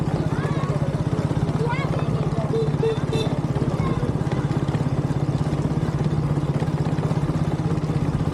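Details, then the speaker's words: KTM RC200 riding on the road after a homemade fix for the typical annoying noise: even engine drone with a steady beat and no rattle or buzz; the noise is gone. "जैसा कि आपने अभी proof में देख ही लिया होगा कि finally हम इस अननोइंग नॉज से छुटकारा मिल चुका है रियल वर्ल्ड टेस्ट में भी हमारा जो गड प्रॉपर्ली वर्क कर रहा है"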